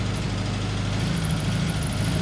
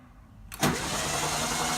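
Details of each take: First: 1974 VW Beetle (Sunbug) air-cooled flat-four, first run after 30+ years in storage: steady, even low rumble with a regular beat and no misses or knocks; idles cleanly. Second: VW Beetle after 30+ years in storage, cranked for a compression test with carb and fuel pump removed: quiet, then a steady churning starter drone that never catches; cranking, no start. Number one cylinder read about 170.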